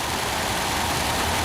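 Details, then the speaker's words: 1934 Packard 11th Series straight-eight sedan, engine rebuilt in 1993 and given new spark plugs, long stored: soft, even idle hum with steady airy rush, no knocks, ticks or stumbles, barely audible from behind; normal smooth idle. "I mean, standing back here, you cannot hear it. You cannot. That's how smooth this engine runs."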